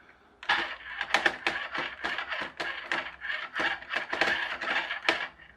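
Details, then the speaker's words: HL Toys RC bulldozer power scraper with a 3D-printed replacement drive gear slightly too small, wheels turned by hand: uneven bursts of sharp plastic clicks from slack gear mesh. Gear clicking from undersized gear. "I think this gear might just be a tiny bit too small. Might have to print it again just a little bit bigger, because when I put this on and just turn the wheels, I can hear it clicking, because there's a bit more slack in there than me holding it in place."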